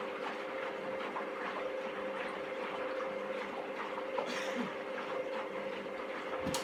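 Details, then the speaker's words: Candy GVS169D3/1-80 Grand O Vita 9kg washer after triac replacement on control board fixing error E09: quiet steady motor hum, soft water sloshing as drum agitates, no knocks or grinding; normal wash cycle. "you can see it dipping in there in the middle and splitting up things going down agitating and it seems to be agitating correctly well it's excellent"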